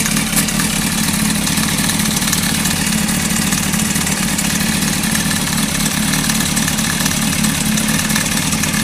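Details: Honda CBR 600 F3, just bought, at idle: a fast, metallic chattering rattle over the inline-four note. The owner wonders if it is the cam chain tensioner; unconfirmed.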